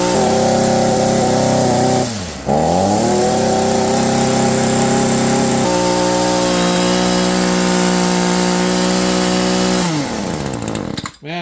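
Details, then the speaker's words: Shindaiwa SH262 hedge trimmer after de-carboning the plugged exhaust port: crisp, steady high-revving two-stroke buzz holding pitch cleanly at full throttle and dropping off smoothly; runs like new. "runs like a new machine guys"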